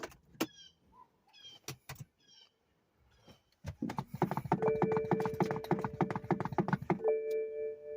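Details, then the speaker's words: 2010 BMW 328i after eccentric shaft motor replacement, key on, accelerator pressed 10 times in 10 seconds: a few pedal clicks, then a fast buzzing whir and steady hum as the Valvetronic eccentric shaft motor adapts. It was replaced after erratic idle and an internal short code. "press the gas pedal or sorry the accelerator pedal 10 times within 10 seconds and you'll hear The Eccentric shaft motor start humming or moving"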